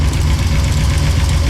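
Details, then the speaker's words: Cammed 454 big-block Chevy in an OBS shop truck, idling outdoors before its first test drive: a deep, loud, uneven loping idle with a steady chop in the low rumble ("cam dance"); normal healthy big-cam idle. "Oh yeah. Oh yeah. She sounds good. It's called the cam dance."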